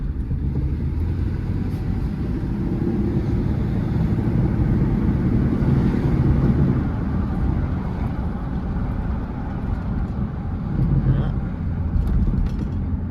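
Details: Ford truck driven around the block after oil pump repair: steady even low engine rumble under road noise, no knocks or ticks; no engine damage heard, oil pressure holding.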